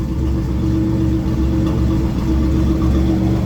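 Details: 1988 Ford Bronco II idling after cleaning the idle air control (IAC) valve to cure a rough idle: low, even rumble with a steady beat, no dips or hunting, settling smoothly.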